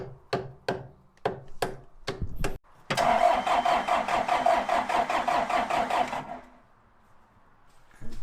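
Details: John Deere 310 backhoe diesel during fuel system bleeding and priming, with batteries running down: even cranking with steady compressions for a few seconds, never catching. Cranks but will not start.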